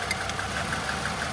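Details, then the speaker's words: Car left sitting two years: idle with light ticks about six per second and an uneven beat; removing each cylinder in turn shows cylinder one, the front one, is misfiring, idle worsening when good ones are removed. "that one's working that one's working but it's not really making any difference uh maybe that plug's no good oh all right I let's keep checking the others oh yeah that one's fine yep yep yep so it's this front one number one yeah you can hear it gets sadder when you remove the good ones"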